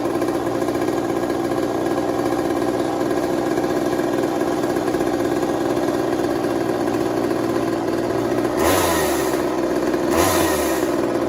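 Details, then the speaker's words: 1980s Mastercraft (Poulan-made) chainsaw, bought cheap and revived: steady, even buzzing with no misses or surging and two quick throttle blips; normal running. "I don't know it sounds like it runs nice let's try one more with all the stuff on it tomorrow"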